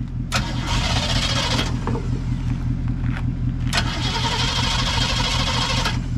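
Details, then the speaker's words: 1970 Mustang being cranked before a 640-mile trip home: two harsh metal-on-metal starter grinding bursts, possibly a missing flywheel tooth (unconfirmed). After start, belt squeal and header smoke come from sprayed WD-40/PB Blaster. "that sounded like metal on metal is your flywheel missing a tooth"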